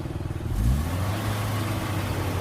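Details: Suzuki Katana/Jimny engine rebuilt and returned to stock from racing mods after white smoke on revving: clean pickup from idle into steady even revs with no misses or knocks; exhaust shows only pipe dust now, not white smoke.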